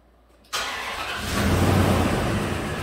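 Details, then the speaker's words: 2004 Dodge Ram 1500 4.7 V8 after oil change, codes P0304 and P0522: catches quickly then stumbles at idle with a loping beat and lifter-like tick; cylinder 4 misfiring because its exhaust cam follower spat out, likely collapsed lifter. "it also has a tick in the engine like a lifter tick cylinder number four misfire p0304 so let's see if there's any current misfires it seems to be running rough"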